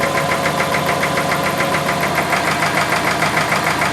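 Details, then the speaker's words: Subaru engine at idle, owner pressing on the timing belt tensioner makes much of the noise go away: quick metallic rattle about three ticks a second following engine speed; timing belt tensioner and timing gear rattle, replacement planned. "okay so it's the tensioner and the timing gear so what I need to do is replace the timing gear that's gonna be expensive"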